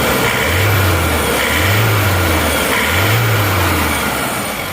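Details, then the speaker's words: Isuzu Panther diesel, newly bought from a showroom, after engine overhaul (new rings, non-original liners) for a metallic "kletek" clatter at 2000+ rpm that valve adjustment didn't cure; now revs up and down cleanly, smooth, no clatter, no blow-by: normal revving. "Ya alhamdulillah mesinnya sudah halus tidak kasar ini kletk-ketknya juga sudah hilang kita gas tidak ada suara kletek-kletk seperti metal"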